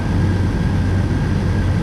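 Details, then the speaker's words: 1999 Jeep Wrangler TJ, 4.0 inline six, after EVAP hose fix cleared check engine light: deep steady even rumble with no knocks or ticks; normal idle. "Let's go listen to this baby run. This is the Venerable 4.06 Prime Shake. Sounds good."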